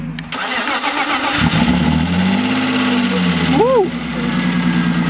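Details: BMW E36 project unused for a long time, revived with a new battery: starter cranks briefly, engine catches cleanly and settles into a steady idle without stumbling; starting and running normally.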